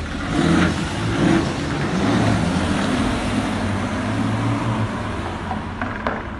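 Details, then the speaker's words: BMW six-cylinder diesel on road test after replacing intake flaps and manifold, glow plugs, glow plug control unit and battery (one glow plug broke, number 2); pulls with steady even drone rising with throttle, no knocks, misses or rattles; normal running under load. "Là on a changé, là on fait des essais routiers."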